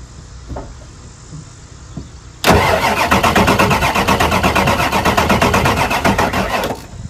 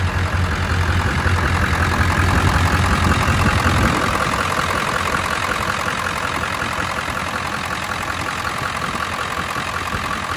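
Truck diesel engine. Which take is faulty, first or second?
first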